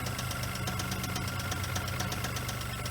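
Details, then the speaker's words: $300 Geo Metro small petrol engine idling: steady, regular knock about two per second. Earlier masked by a squeal that stopped after spraying; bad rod bearing suspected, unconfirmed. "I think it's got a rod. Bad rod. Why didn't it do it when we started it up last time?"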